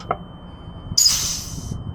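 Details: Big Cam Cummins that was overheating with its cooling fan not engaging, after the 195° normally-open thermal fan switch was replaced and rewired: a click, then a loud rushing hiss and whoosh over a low rumble as the fan clutch engages and the fan runs.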